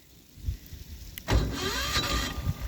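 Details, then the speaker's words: Apache diesel generator, cold in icy weather, started by remote after a heater was put on it: starter cranks briefly and nearly catches with a short rough surge, then dies; no start blamed on a stuck fuel shutoff. "oh she almost started [Music] no all right I don't want to wreck the starter wreck this the solenoids or anything"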